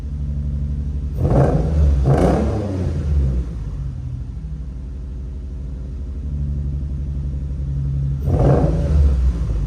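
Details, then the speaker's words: Nissan 350Z restarted warm, ran fine earlier that morning: lumpy, uneven idle with low rumble and stumbling surges every second or two; rough idle, owner suspects an injector not firing, before injector swap. "guys so as you can see here it it does not sound all that great um it definitely sounds like that definitely sounds like an injector is not firing when it's supposed to or it's not functioning at all it's supposed to sound a little bit smoother than this"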